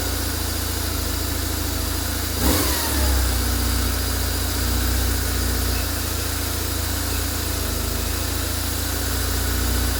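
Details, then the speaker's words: 2003 BMW R850R that died on the highway and wouldn't start, now running while still cold and on choke; fuel pump issue with a new pump on order: steady, slightly fast idle with one throttle blip; normal cold idle on choke. "so still a bit cold but it runs so we uh it runs good it um still run it's still a bit cold so it's still on choke"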